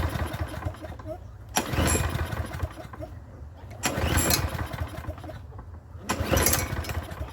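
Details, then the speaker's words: Troy-Bilt self-propelled mower with Briggs engine, no choke or primer: after a minute shut off it started, putted 30 seconds and died; now three recoil pulls, engine spins and coughs but never catches; no-start from clogged carburetor main jet. "at first it started and and kind of put for about 30 seconds and died and now it won't even start now there's no choke on this there's no primer but she won't start"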